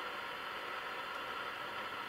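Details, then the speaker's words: Ferranti MPT1089 mains/battery transistor radio, c.1962, with NKT164 transistors, tried before a full strip-down: only a steady, even hiss with no stations and no response to the wave change. No local oscillator; a failed converter stage is suspected. "okay just noise very careful of this wave change switch so just noise no local oscillator it's probably what's wrong with it"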